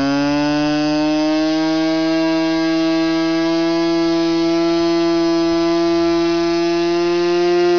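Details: Buzz from a Norvel .061 RC model engine converted to diesel with a custom-made diesel head, swinging an 8x4 Cox grey prop. The note is even and high-pitched, held steady for eight seconds with no misses, surging or hunting, so it is running cleanly.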